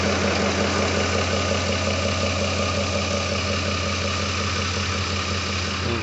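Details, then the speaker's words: Freshly rebuilt 2007 Ford 5.4L 3V V8 at hot idle with 50 psi oil pressure, fired right up, no codes though alternator light flickers; smooth even idle, steady low drone, no ticks or knocks; running healthy. "man this thing fired right up carrying 50 pounds of oil pressure hot idle that is awesome that is awesome not throwing any codes"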